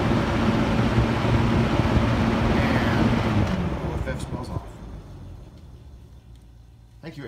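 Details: Mid-1970s EXL 7-bladed box fan, cleaned, motor washed and oiled, faulty switch replaced: steady airy rush on high, no rattle or ticking, winding down smoothly after switch-off. Normal running.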